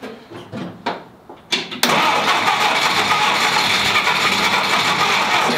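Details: 1946 Willys CJ2A Jeep, first start attempt after five years in storage, choke pulled out: steady cranking pulses for a couple seconds, then a loud rush with no clean firing; cranks but won't start.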